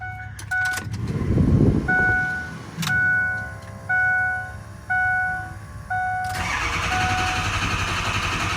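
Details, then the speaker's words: Ford 6.0 Powerstroke diesel after high-pressure oil pump replacement, fully reassembled. Chimes, brief cranking, then it fires and holds a steady, even idle; normal start. "Alrighty, it is completely back together. Well, might as well, since we're here, might as well fire it up."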